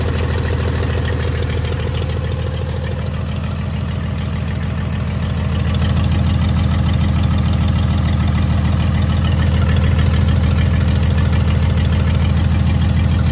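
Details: 1996 Dodge 2500 diesel, no turbo or exhaust manifold fitted after turbo failure, idles rough with heavy, lumpy, uneven clatter; owner suspects injection pump setup and oversized injectors, not confirmed.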